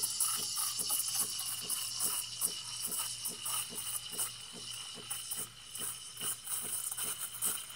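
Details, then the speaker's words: Breville Barista Pro steaming; steady soft thump-thump about four times a second under the steam hiss. Normal: the thermojet generates steam on demand, with no boiler storing steam or hot water. "you hear that thump thump thumping that's that's it making steam on the fly it does not store steam it doesn't have a boiler that stores steam or hot water"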